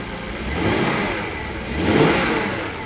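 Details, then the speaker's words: Daimler 4.0 V8 that had not run since 2016, just brought back to life: two clean throttle blips rise and fall from idle with no misfire or knock. It runs and sounds great. "what a fight that was it runs and it sounds great"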